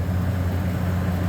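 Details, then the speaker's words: Beer walk-in cooler condensing unit: the condenser fan, switched by its fan cycle switch, came on at about 240 psi head pressure and runs with a steady low hum. It did not cycle on and off; the tech suspects a pressure switch rather than the contactor. "So we come over here and we're going to wait for our head pressure to go high enough for that fan cycle switch to turn it on, turned on about 240 psi"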